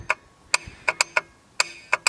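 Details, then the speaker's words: Ford F-250 7.3L IDI diesel before a cold start: sharp, dry, irregular clicks, about eight in two seconds, in a quiet cab with the engine off; owner suspects bad glow plugs or glow plug relay, unconfirmed. "so if I didn't you'll hear the gold plugs going crazy because the either some gold plugs are two relays bad"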